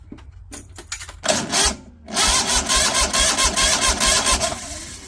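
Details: Kohler Command Pro 27 engine, unstarted after sitting a month, no fuel reaching the filter: the starter churns about two beats a second with no firing. Cranks but won't start; a vacuum gauge on the crankcase pulse suggests the fuel pump is bad.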